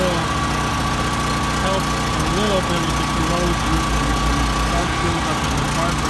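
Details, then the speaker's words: Predator 3200 generator, about six years old, first start in 2–3 years with Marvel Mystery Oil in fuel: steady, slightly uneven drone, rough running; owner suspects something in the carburetor bowl needing cleaning. "fing problem from sitting because it's disperses the EOL evenly interior the fuel fin does have does have something in that carburetor I have to take that bowl off and clean it out right here the bowl"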